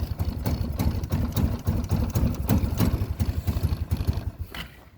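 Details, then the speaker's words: 2004 Arctic Cat 300 ATV idling with a misfire, uneven stumbling beats about three to four a second; misfire goes away when the lights are turned on; ignition switch and plug replaced without fixing it, coil tests okay, stator plate suspected. "here we are the 2004 arctic cat 300 it has a misfire when it's running when you turn the lights on the misfire goes away"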